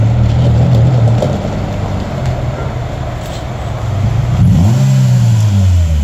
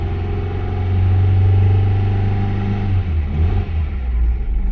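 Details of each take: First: Very rusty Honda CR-V whose earlier issue was a rock stuck in a valve, now driven around; it rolls up with a steady, even low engine drone and no knocks or squeals, running and driving good. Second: Acura with fresh battery, spark plugs and distributor reportedly replaced: uneven, stumbling low rumble at lower revs that smooths as throttle opens; misfire clears at higher rpm, owner suspects tight valve or bad spark plug.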